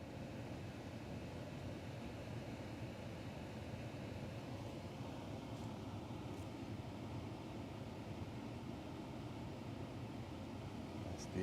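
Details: Home AC unit not cooling, with the thermostat calling for cool: steady blower airflow hiss with no compressor hum ever kicking in. The compressor won't start; the cause is suspected, not confirmed.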